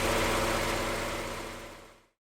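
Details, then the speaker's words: Mazda MX5 after replacing the auxiliary belt (power steering and A/C drive) and refitting the air ducting: smooth, even idle with no chirp or squeal, sounding far better. Repair done. "Well, that sounds a million times better, so I think that is job done."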